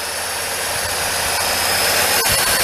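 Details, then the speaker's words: Chevrolet Cavalier started after engine degreasing with Purple Power and washing, wiring air-dried: steady even idle with a smooth hiss, no knocks, misses or surging; normal idle. "Okay, we started up, make sure they run smooth."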